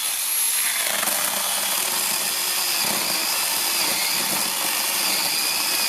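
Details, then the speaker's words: Repaired counterfeit Makita DUC302Z brushless cordless chainsaw, reassembled, on one battery, cutting wood with the full bar: steady high-pitched whir held while chewing through wood, no bogging. It previously stalled and lacked power; now pulls properly. "Як ви бачите, я заганяв на всю шину. Вирубилася раз, тому що попала на мабуть деревина. Все працює, навіть на одному акумуляторі, тому тест пройдений."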